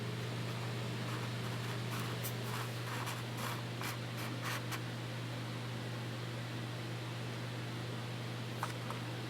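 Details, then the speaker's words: Bathroom exhaust fan after cleaning its very dirty screen and parts: steady low motor hum with smooth even air whoosh; sounds a fair bit better than before cleaning. "Let's go ahead and turn this thing on and see how it sounds. That sounds a fair bit better now."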